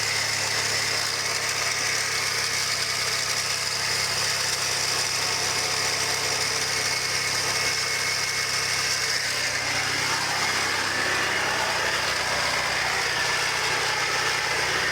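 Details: 2001 Chrysler PT Cruiser idling: a steady, slightly rough whirring from the belt area, also heard inside the car and first noticed on the highway; the owner suspects power steering, idler pulley or compressor, cause unknown.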